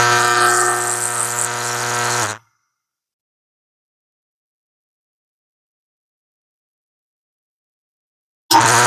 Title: loud fan noises